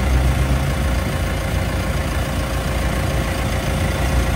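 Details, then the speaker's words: Mitsubishi L300 FB van AC, after a larger condenser was added, refrigerant charge 33–35 psi: a steady, smooth low engine hum with the AC engaged and no rattles or grinding; the compressor now cycles and runs normally. "Ah 33 aan wala pang 150 kanina po hindi nagmamati o ngayon nung makabitan natin ng condenser lumakas pa ang tubig ayan nagmamatic na siya oh ba yan po ang kagandahan ng nalalakihan natin ng coniner Sir oh 35 yan wala pang 150 okay na 'to."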